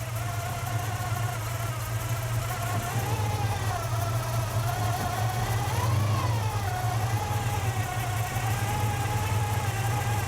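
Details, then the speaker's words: Carbureted V8 at a good, steady idle just after the idle speed screw is set, before adjusting the idle air-fuel mixture screws: deep low rumble with a slight gentle wander in speed, normal idle. "We can raise it. If we want to bring it down, we can drop it back down. That's a good idle right there."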